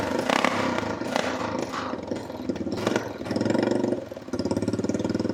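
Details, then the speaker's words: Honda TRX350 ATV after carburetor cleaning: the engine surges and stumbles and won't rev cleanly when blipped; owner suspects it needs a valve adjustment or lacks the air-filter back pressure needed for the carb slide to lift. "It might need a valve set really bad. Huh. Maybe we'll try this. I think what's happening is there's not enough back pressure for this slide to lift up."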